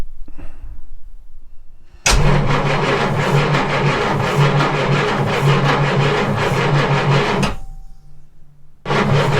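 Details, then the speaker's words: Jaguar MK2 budget build, first start in years with the automatic enrichment device removed and no choke fitted: starter churns evenly about three beats a second, engine reluctant to catch, pause, crank again; it eventually runs. "So yeah, she's going to be a little tricky to start. Just as an aside, this is the fella you want. Manual choke conversion."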